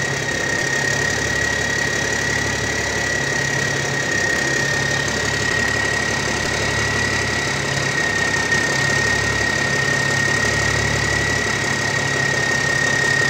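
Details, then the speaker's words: Old military truck diesel with newer-style big cam Cummins, warmed up: steady even idle with faint high tone, no knocks or misses; normal idle, runs really good. "Dang, that thing sounds good. Sounds really good, actually."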